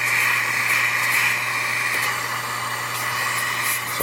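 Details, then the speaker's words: Jehmco diaphragm air pump for a fishroom central air system, at maximum output with no air lines connected yet, silencer removed. Loud, steady, airy exhaust hiss over a low hum, far louder than with the silencer fitted. "let's remove it and hear what it sounds like I don't know if that a translate on camera but that's quite a difference"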